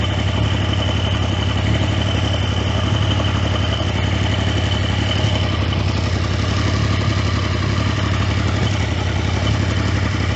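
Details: Triumph T150V triple idling evenly with light mechanical clatter and no misses or knocks, after heads and cylinders were removed to fix numerous oil leaks; started on second kick (first kicked back), oil return to tank being checked; normal idle.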